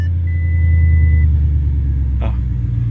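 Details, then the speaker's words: Salvage accident-damaged Audi RS7 with straight-piped exhaust and no muffler, first start: deep smooth even rumble at idle holding steady without stalling, a chime over it; normal idle. "it gonna is gonna conk out no just idly beautiful beautiful Audi I love it"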